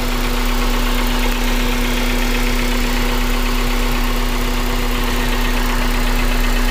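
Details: 2001 Honda Civic DX with swapped JDM K20A (Kpro, 650cc injectors), about 7k miles since swap: steady idle with a dull, uneven knock under a light injector tick, present since day one, louder in cold temps; cause unknown.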